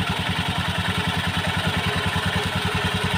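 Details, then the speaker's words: Honda Beat scooter CVT: fast, fairly even metallic clatter over the engine when the throttle is released after revving, rattling in the CVT from hardened slider rubbers and a loose roller housing. "Terus setelah digagasnya ditarik terus dikecilkan Di ada suara kletek kletek kletek kletek tetap ada semen"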